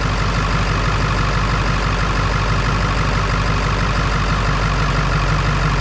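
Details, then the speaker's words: Ford 7.3 Power Stroke diesel idling after fixing a battery connection that caused slow cranking with one battery carrying the load: steady even low rumble, no misses; 14.37 V on both sides, now cranking strong. "we got 14 3. 14.37 on both sides and she's cranking strong so I think that fixed our problem"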